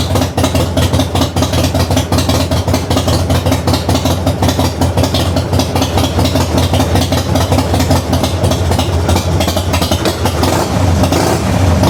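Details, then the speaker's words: 1994 Harley-Davidson FLSTN Heritage Softail started after a loose compensator nut was fixed, compensator torqued to about 150 ft-lb with red Loctite, new stator and rotor fitted; even, loping V-twin idle with no knock or clatter. "see if I can still hear that noise and I don't hear the noise I'll say it's a big success let's see how it goes"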